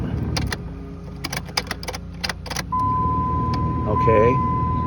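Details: 2002 Dodge Ram 1500 4x4 5.9L V8 after cleaning corroded battery terminals that caused a flashing security light and no-start: keys rattle, then fires straight up into a smooth, steady idle with chime.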